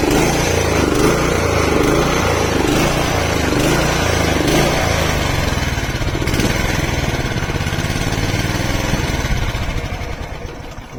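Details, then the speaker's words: Honda HR214 lawnmower, owned since 1987 (about 32–35 years), after carburetor cleaning of rust flakes in the jets plus new fuel filter: small single fires at a fast even beat with no misses or surging; healthy normal running. "is it looks like that was it i think some flakes of rust got into the nozzle of the um the carburetor jets so uh taking it apart and just cleaning it"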